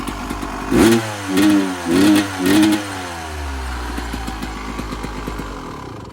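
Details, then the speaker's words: 1996 Yamaha YZ250 two-stroke, warmed up, pipe too hot to touch, before carb work: four quick blips flatten and fail to rev out before settling to idle; bog on throttle, suspected carb pilot jet issue. "And you guys heard that bog. That was me giving her juice. So the little tiny blips was okay, but as soon as I gave her the juice, nothing."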